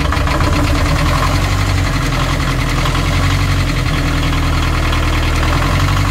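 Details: Narrowboat Laura's BMC 1.5 diesel after removal and refitting of its worn injection pump: loud, even idle with a deep steady beat and no misses or stumbles; normal idle, running smoothly.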